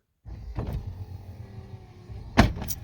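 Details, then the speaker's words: Lincoln Continental driver's front door vent window linkage: motor whirs through short travel with two sharp clunks, louder near the end, from old binding linkage (owner unsure, maybe missing bushings); heard after front window motor torque bushing repair. "that Clump right Clank that one's binding a little bit so just old linkage"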